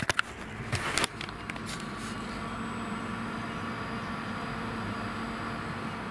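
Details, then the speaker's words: Brass Monkey 35L/45L dual-zone 12V fridge-freezer compressor just cycled on: a few knocks then quiet steady low hum and soft whirr; not the quietest but far from noisy, normal. "so whilst they're not the quietest fridge i've ever heard certainly far from noisy"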